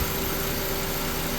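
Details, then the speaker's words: 2001 Honda Civic after fixing idle surging: stuck idle air control valve cleaned with brake cleaner and refitted; steady even idle hum, no hunting or surging, running normally. "well I got her back together it's running like normal that's all it was that thing was stuck"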